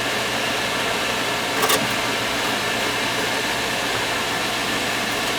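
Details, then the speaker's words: Field power venter above a furnace after a couple of loose screws were found and tightened. A steady, even whoosh with no rattle or buzz and one brief click. It now runs much quieter; the loose screws were the cause of the noise. "look at how quiet that made it hear that screw you got a couple of screws loose that's the problem"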